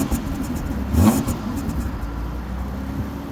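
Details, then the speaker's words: Mazda 323F V6 on a cold start with a little rev-up: the exhaust centre section, patched with four bandages, is blowing again, giving a breathy, puffing edge on the rev; exhaust leak, before the custom stainless exhaust. "I have repaired it with 4 bandages so far, and it's now starting to blow again, so it was time to finally get something sorted. So this is a cold start and a little rev up."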